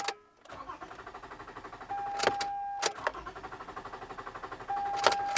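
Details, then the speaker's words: Car turned with the key: even cranking at about three pulses a second goes on and on but the engine never catches; starter and battery indicated good, cause elsewhere; cranks but no start. "When you turn the key and the car cranks as normal, sounds just like it should, but it just won't start"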